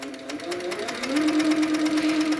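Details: HQ Sweet Sixteen sewing machine stitching after top tension tightened two full turns to fix loose tension: steady, even stitching hum with clean needle rhythm and no knocking or catching; sounds better, slight further tightening still needed.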